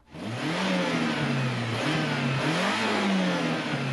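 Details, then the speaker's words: Turbo Mazda Miata with clear intake piping and blow-off valve disconnected; revs rise and fall with fluttering intake chatter on each throttle lift-off as air pushes back through the turbo: compressor surge. "when you let off throttle and you hear the sound that so many people love your turbo allows air back through it but it doesn't do it smoothly and that's why you get that sound"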